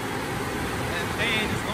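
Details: GMC Envoy from insurance auction, running after a jump start; steady loud rushing whoosh of a radiator fan on full speed, no rhythm; fan running flat out, cause not pinned down.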